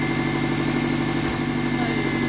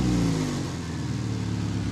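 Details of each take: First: 1999 Subaru, first start of a freshly rebuilt and installed engine, run briefly without coolant and burning off assembly lube: a steady, even idle with no knocks or misses, much smoother than before. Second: 1999 Subaru, first start after engine install, no coolant, assembly lube burning off with slight smoke: engine revs then settles to a raspy, puffing idle with loud blowy exhaust note; major exhaust leak at the clamped, wrapped center pipe.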